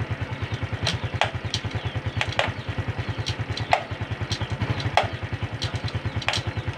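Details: Honda Supra X 125 FI, engine idling, very loud "ceklok" clunk every time the gear lever is pressed, sometimes intermittent, also present with the engine off. Sharp metallic clunks about every second over a steady idle. Gear-shift clunk from the clutch release cam, needing adjustment.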